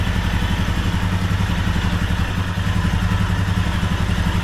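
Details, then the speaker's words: 2021 Royal Enfield Himalayan Euro 5, 6,000 km, warm idle: loose, uneven clatter about four per second from lower right of engine, worsening with heat, vanishing when bike is upright off the stand; oil pump drive chain rattle. "now I can hear it rly and the hotter it gets the worse it gets um but if I pick the bike up and you give it like 5 10 seconds the noise will disappear"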